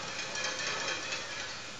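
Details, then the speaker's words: Bicycle rear derailleur in the lowest gear with the low limit screw too far out: light metallic pinging as the mech catches the spokes; fixed by turning the screw in half turns. "the gear will catch on the spokes. You can hear that pinging noise."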